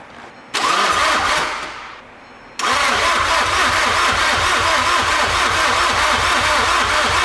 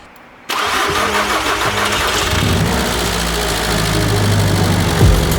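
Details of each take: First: VW MK6 GTD with newly installed 400 hp race-built TDI engine; starter churns the engine in two long bursts with a short pause, steady even beat, but it never fires: extended cranking, no start. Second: VW MK6 GTD with newly installed 400 hp race TDI engine, first start after long cranking: diesel catches and settles into a steady, even idle with a smooth low rumble; sounds healthy.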